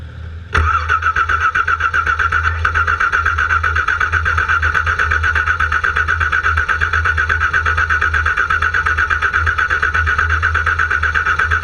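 Starter kicks in and churns at an even, rhythmic beat for over ten seconds without the engine ever catching: cranks but won't start.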